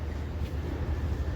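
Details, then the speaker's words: Single-cylinder motorcycle whose engine had jammed from a destroyed clutch plate, after repair with kick and electric start working again: a steady, even idle with no knocks or rattles. "यह देख सकते हैं आप गाड़ी start हो चुकी है और एकदम फिट रही"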